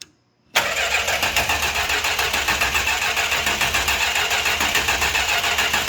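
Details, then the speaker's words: 1968 Chrysler Newport Custom with a newly fitted Holley Sniper EFI, not run since 2013. The starter cranks at an even three to four beats a second with no firing; a crank signal is seen, but the engine won't start. "dude we got crank signal that no fire in the pipes yet though let's hit her once more"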